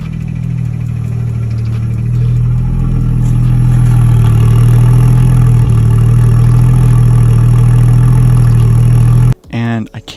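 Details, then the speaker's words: Nissan R32 with freshly rebuilt engine: steady idle with light even tick about four times a second, heard only at fuel rail and each injector, speeds up with revs but not louder; source not pinned down. "the only place that i heard it was on the fuel rail and at each injector and then always matches the injectors perfectly and if i rev it it speeds up it doesn't get any louder"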